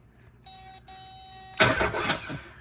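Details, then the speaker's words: Nissan 300ZX (Z32) no-crank no-start diagnosis, relay unplugged and starter-side wire (black with yellow stripe) powered directly: steady tone then short healthy burst of starter cranking — starter works, fault lies upstream toward ignition switch. "So if we power this side up, we should get it to crank. And it cranks."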